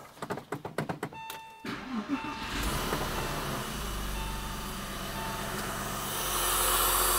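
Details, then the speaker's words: Low-mileage Porsche 996 with M96 engine after oil separator and oil cooler replacement, cracked head or head gasket suspected: a few cranking pulses, then a smooth even idle with no knocks or ticks; looks and sounds decent. "thing is actually looking and sounding pretty decent we're gonna lift it up"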